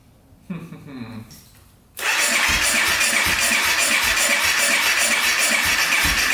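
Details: 2014 Honda CRF250L, top end valve cover refitted, started without air filter: fast, even starter whirr about four turns a second that never fires; cranks but won't start, clogged silencer suspected, doubtful.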